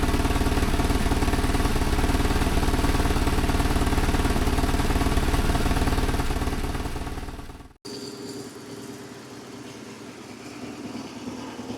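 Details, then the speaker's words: BMW GS motorcycle, warmed up, after service, valve clearance adjustment and new spark plugs: smooth, evenly paced idle with no misfires, then a clean shutdown. Running much better than before. Normal idle. "Okay, so she runs well, much better than before."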